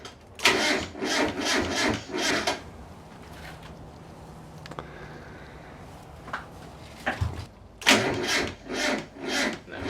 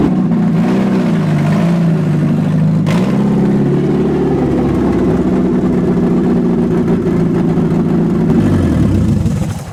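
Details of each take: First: Mazda Miata drift build project car, battery just reconnected: the starter churns in even beats about twice a second over two long attempts and never fires; it cranks but won't start. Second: Mazda Miata drift build project car, after a failed first attempt with a freshly connected battery: the engine catches, wavers, then settles into a steady, slightly rough low idle and keeps running.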